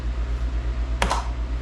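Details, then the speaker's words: Craftsman GTS5000 riding mower with a Kohler engine, with a bad PTO switch found: one crisp click over the engine's steady low pulsing hum as the electric PTO blade clutch engages properly. "that's what you'll hear a good old audible click what that means is that's engaging the PTO"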